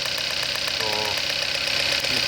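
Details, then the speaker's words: 2012 Hyundai Accent 1.6 four-cylinder idling with random misfire codes P0300–P0304: sharp snapping ticks about eight a second from ignition coil arcing, leaking spark from its side; coils replaced. "This is also no good. Leaking from the side. You can hear the hard sound. Misfire."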